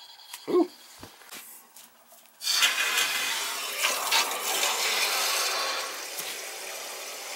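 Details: Boiler with replaced tankless coil, water turned back on after a clogged 90-degree fitting was taken apart and cleaned: after a quiet start, steady rushing hiss of water through the pipe, even and unobstructed; it feeds through normally now.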